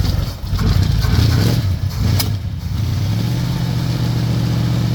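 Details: 1965 Chevy C10 on a cold day with new battery cables: the starter churns about two seconds before it catches and settles to a steady cold idle. A slow cold start, cause not obvious.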